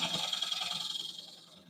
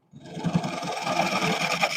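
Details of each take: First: Wood lathe bowl turning with a carbide gouge: even, unbroken hissing shave with no stuttering chatter, tailing off as the pass ends. Smooth continuous cut in solid wood. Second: Rough, choppy scraping with uneven bursts on a wood lathe: the bowl-turning tool chatters as it meets broken outer wood, pieces breaking off before reaching solid wood.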